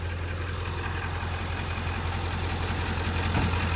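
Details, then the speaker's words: 1997 Ford F250 7.3 Power Stroke turbo diesel idling just after its first start in two years: steady, even, low regular beat with no knock or misfire standing out; sounds healthy, though owner says it isn't charging well and suspects the alternator. ">> It sounds good. >> Sounds good, but it ain't charging very good."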